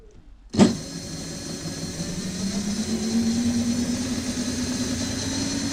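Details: Rear hub motor of a DIY dual 350 W hub-motor electric scooter spinning freely. Smooth hum rises slightly, then holds a steady, even whine; running healthy.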